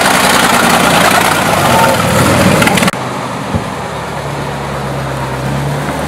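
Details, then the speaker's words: Restored 1937 Chrysler Imperial straight eight, recently revived after decades in storage: after a loud stretch it settles to a low, even, quiet hum with no knocks or misses; very smooth running. "so this engine is so quiet in comparison it's amazing it runs very quiet it's it's very smooth smooth would be the way I would say"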